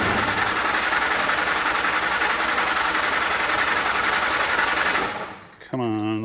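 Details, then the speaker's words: Flat-fender Jeep with a carburetor, cranked in neutral after a newly added air cleaner and alternator, no fuel through the carb in a while: steady starter chug about four beats a second that never catches; cranks without firing. "double check that that is in neutral and let's crank the key it's been a while since we've done this we added an air cleaner"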